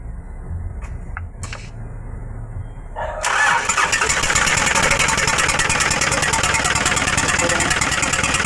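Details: Hino 300 W04D diesel truck cranks and catches, then idles roughly with an uneven, pulsing misfire beat and a loud, harsh intake noise; white smoke reported.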